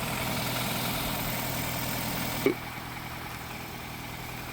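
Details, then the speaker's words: Cheap Nissan economy car with 142,000 miles, bought to flip, started right up with no check engine lights and still warming up. Smooth, steady idle, low even hum, no knocks or misses, brief click part way; motor sounds strong. "Motor sounds like it's running strong."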